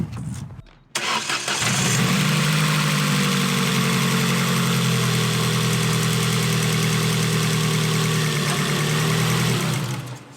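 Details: Mk1 Ford Focus started after major service with HT leads refitted: quick crank, catches cleanly, settles into steady even idle with no misses or knocks; healthy.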